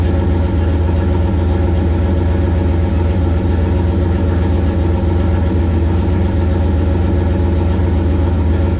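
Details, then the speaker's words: 1969 Plymouth Valiant, stock 360 Magnum V8 with Mopar Performance cam, Proform intake, TF727 transmission, GT45 turbo 5 psi, back together after intake manifold refit; deep steady idle rumble, even beat, no ticks or misfires; normal idle. "but for now she's back running i guess we can go and fire it up one more time"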